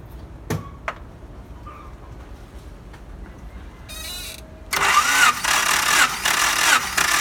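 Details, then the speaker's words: 1992 Honda Accord CB7, wet compression test with the ignition wiring disconnected, cranked about four revolutions: an even starter chug with strong, regular compression strokes, reading nearly 195 (dry about 190); normal cranking compression. "You can hear around 4 revolution. Yes, the value is good, nearly 195."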